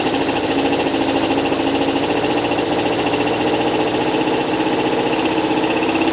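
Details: Kawasaki ZL600 after valve adjustment, new coils and resealed exhaust, cold and warming up, about 3 L fuel on reserve: even quick ticking idle, no air escaping from exhaust, engine sounds great.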